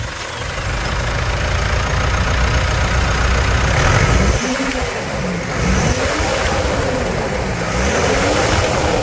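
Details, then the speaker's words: Mitsubishi Triton 2.4 4N15 diesel at 50,000 km, during a 10,000 km oil-change service, fires up quickly and revs smoothly with even clatter, no knocks or misses as pitch climbs and falls; healthy start and revving. "senhoras e senhores vamos escutar a melodia desse motor 2.4 aqui"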